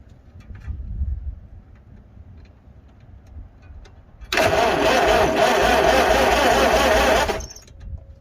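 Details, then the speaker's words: 1955 Farmall 300 row crop after sitting 14 years, coil just replaced: starter cranks the engine at an even two beats a second for about three seconds without firing; still no spark, owner suspects the distributor. "nope no spark guys no spark"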